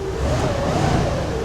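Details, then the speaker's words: Hyundai Tiburon cold start after a transmission fix: engine catches after a couple of pedal pumps and revs smoothly with an even, steady note and no knocks or ticks; sounds so good, a healthy normal cold start. "sounds so good she sounds so good"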